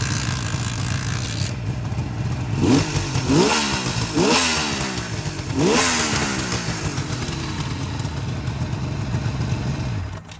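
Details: 1973 Suzuki GT550 two-stroke, with a weak battery and a starter clutch that sometimes kicks out: it catches, blips up a few times, then settles into a steady, even, crackling run with no misfire; runs normally.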